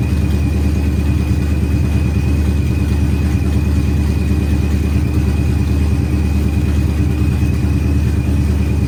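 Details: Procharged Ford Coyote V8 at first start-up with good oil and fuel pressure, small leak being snugged up: steady deep V8 burble at even idle, no misses, knocks or hunting, warming up healthy.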